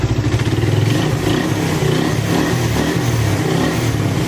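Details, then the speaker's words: Suzuki Raider 150 single after shop refresh, warming up: steady, fairly even low thump with no knocking or rattle, now quieter than before the work; healthy warm-up idle. "So ayun, ito, pinabandaran natin, pinapainitan natin yung makina. Yan. Tapos tahimik na to ngayon."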